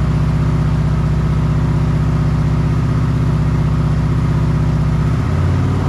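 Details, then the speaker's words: Kawasaki Vulcan 900 test start after fixing no-start (clogged tank breather check valve found): fuel pump primes, FI light goes out, oil light on until running; quick regular twin-cylinder thump settling to a steady, clean idle. Normal idle. "FI light goes out, oil light stays on until it's running. Let's see if it starts."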